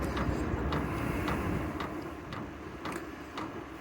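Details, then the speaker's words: Vevor 5 kW diesel heater running, turned down to H2 and blowing hot air quickly: a soft regular tick about three times a second over a steady fan rush; the fuel pump's normal 'tac-tac'. "Vous entendez, ça c'est le bruit de la pompe, le tac-tac. Je sais pas si vous l'entendez."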